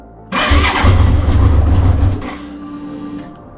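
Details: BMW K100 motorcycle on its first start attempt after 22 years in storage, with the choke on: fast starter churning with uneven firing pulses that almost catch, then die away; it tries to fire but won't keep running.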